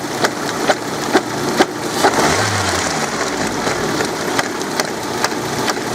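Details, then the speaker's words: Car with a 124 engine, timing cover removed, running stationary: a sharp knock about twice a second that fades as revs rise, from a timing belt with stripped teeth that still grip the gear. "случай действительно редкий чтобы автомобиль без зубов продолжал работать зубов хватало чтобы зацепляется"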